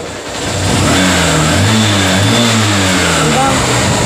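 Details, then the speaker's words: Honda CB Shine engine revving after repair of a harsh engine noise, held at revs with a clean, steady note like factory original, no knocks or rattles; normal healthy engine. "यहां का sound आप सुन सकते हैं एकदम sign का जो sound होता है कंपनी रिकॉर्डिंग दोस्तों वह साउंड इसमें ए गया है"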